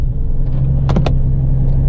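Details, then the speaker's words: GMC Envoy on a freezing cold start, the day after its MAF sensor and throttle body were cleaned; a low, uneven idle rumble that wavers beat to beat, cause not yet determined; rough idle. "if I already tell you right now I don't like the way it's running which isn't a good sign but it's a very cold start"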